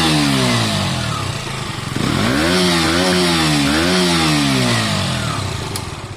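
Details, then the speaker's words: KTM 125 motorcycle on its stock exhaust before the Black Widow aftermarket fit, revved with the throttle: crisp blips climbing and falling cleanly, no misfire or rattle; meaty, healthy normal exhaust note. "I think that sounds fine. I quite like that sound."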